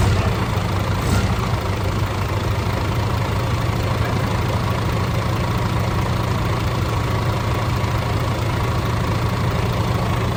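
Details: DAF CF85 Euro 6 truck diesel on first start after work on a top-end knock: worn inlet camshaft and rocker arms replaced, exhaust brake, shells, filters, rocker gasket, tappets adjusted. Deep steady idle, no valve-gear tapping, faint exhaust blow underneath.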